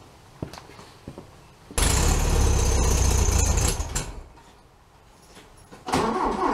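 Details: VW Beetle cold start at about 15°F in snow: brief crank, catches, settles into even steady idle, then restarts promptly; normal healthy cold start.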